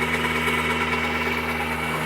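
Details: Turbocharged subcompact tractor (Johnny X) on a Baumalight KR30 PTO generator at about 13.8 kW, oven, burner and dryer running: even steady drone with a firm whine, no hunting or knock; engine pulling healthy under heavy load.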